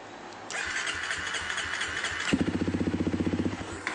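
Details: Honda CRF250, start-then-stall problem, standard bike, cause not yet known: engine catches and fires in steady, lumpy beats for about a second, then dies; stalling after start.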